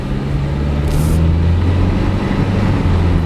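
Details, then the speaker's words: 2003 Toyota Corolla cruising after a new exhaust system was installed: a low, steady exhaust drone with no rasp or rattle, far quieter than before; normal exhaust note. "way quieter than before doesn't sound all raspy and like a [ __ ] box it just sounds like a normal car now"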